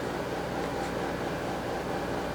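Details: Ceiling fan at least eight years old, on high after loose set screws and wobble fixes: steady even whoosh with no knock, tick or surge; running smooth, no longer wobbling.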